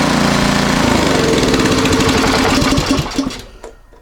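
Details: Powersmart 24-inch snowblower, in for a chute control cable, that previously ran poorly. Warm after two days under a heater, it now runs steady and even at a fast patter with no surging, then winds down cleanly at shutoff. Healthy.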